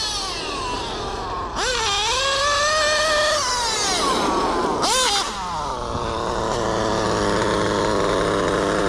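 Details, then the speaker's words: Mugen MBX8T nitro truggy with Nicholson-modified OS 28 XZ, Hipex 2095 pipe, high end leaned out, about 40,000 rpm, 50 mph: shrill two-stroke scream swooping with throttle, clearing cleanly; runs sweet despite worn skipping rear diff. "Despite the popping differential in the back because the gear stripped out, it was running sweet."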